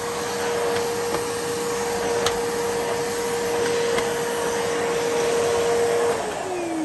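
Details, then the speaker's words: 1980s Hitachi 790 (1300 Powerhouse) bagless cylinder vacuum after full refurb, basic straight suction head fitted: clean, steady motor whine at one pitch, no rattle or grinding, easing down near the end; sounds much better than before. Normal motor run. "okay now that just sounds so much better no question"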